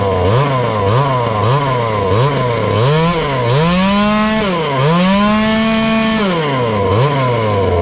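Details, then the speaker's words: Ported little 2375 chainsaw on methanol with a temporary rigged choke, tank not refitted: repeated rev bursts rising and falling, never reaching a crisp top end. Lean, with the fuel screw giving all it can. "i'm giving it all the fuel it can get we're going to have to pull carb apart and drill it"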